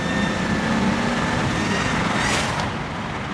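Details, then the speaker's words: BMW 335i E91 wagon swapped with a rebuilt N54 twin-turbo, about 1500 miles since rebuild, first drive on new tune, windows down: thin high whistle like blowing on grass rides over the engine under boost and sweeps upward; boost leak, black smoke seen. "i hope you guys can hear that it's like someone's blowing you know if you blow like on a piece of grass you can make it whistle that's exactly what it sounds like right now or like a whoopee cushion a really high-pitched whoopee cushion"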